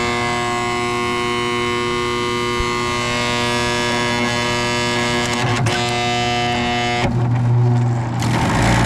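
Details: Carrier GasPack that isn't heating, furnace side: constant droning hum with a buzzy tonal whine that holds steady, then shifts near the end, from a failing inducer motor.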